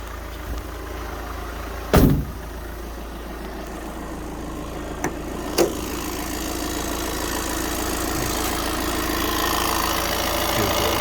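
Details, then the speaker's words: 2017 VW Transporter T6 2.0 diesel after a full service, fuel filter bled with the fuel pump: a couple of sharp clunks, then fires straight away into a steady, even idle with no knocks or rattles. "Now we're going to start it up. There you go. It's fired up straight away."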